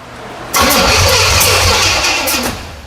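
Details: 1977 Pontiac Firebird with an overhauled small-block Pontiac 350, first start attempt. It cranks with a sudden loud pop and rough sputter and won't catch, a backfire because the distributor is installed 180 degrees out; the fix is pulling and rotating it.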